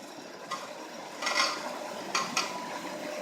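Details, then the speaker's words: Hytrol conveyors merging two lines into one, running; light, irregular metallic rattles over a quiet running hum from roller drive bands needing tightening and a yellow part set slightly too far over; conveyor roller rattle from loose drive bands. "and then the other thing is that these band need to be tightened and so what I'm going to do is I'm just going to pull these things back a little bit"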